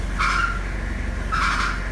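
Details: 2002 Toyota Hilux idling with two short high squeals about a second apart as steering wheel turns; power steering belt slipping on pulley.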